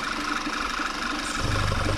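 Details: Engine idling after PCV valve replacement (part 06H 103 495 E); a small rear leak remains. Smooth, steady idle, engine hardly shaking, almost no suction at the oil filler; crankcase breathing sounds normal.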